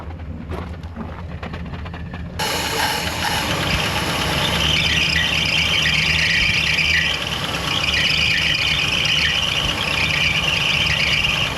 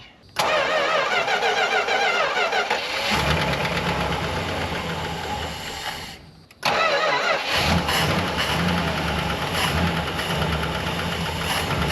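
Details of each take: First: 1964 Chrysler Newport started for the first time in about 22 years, with a slightly noisy lifter at idle. A loud, continuous high squeal sits over the idle from the accessory belts slipping on rusty pulleys; the fix is clean pulleys and a new alternator belt. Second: 1964 Chrysler Newport V8, off the road since 2004, about 104,330 miles, after welding the belt bracket: quick starter catches, then a steady even idle with no belt squeal; a lifter tick is noticed afterwards.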